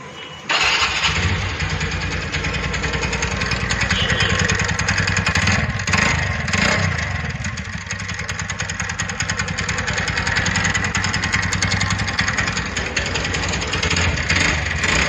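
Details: TVS Ntorq BS6 scooter engine starting and running with a rough, rattling knock over its steady beat.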